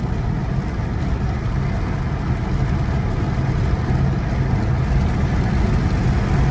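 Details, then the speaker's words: Saturn car on a power run after a once-over including CV axle boot replacement; earlier vibration much reduced: deep even engine drone pulling under load, no knocks or stumbles; normal acceleration. "here we go we booking we breaking warp speed see this thing runs great"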